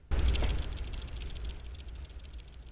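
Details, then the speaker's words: Pagani Design PD1716 watch worn on the wrist, with the silver steel bracelet sized: shaking the wrist gives a quick, high metallic clicking rattle because the bracelet end links do not sit tight enough against the case. "So when you're wearing it and you're just moving your wrist around, you can hear it kind of rattling, and that's these end links here not quite sitting tight enough in there."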